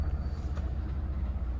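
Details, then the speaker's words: 2008 Jeanneau Prestige 36 shaft-drive boat, port and starboard engines started in neutral, serviced last winter. A deep, even low rumble pulses steadily with no knocks or misses, so the engine is idling smoothly. "And then if we start the engines, make sure we're in neutral, make sure we've got the key switch on here, and we'll just fire the 2 engines up so you can hear them running briefly."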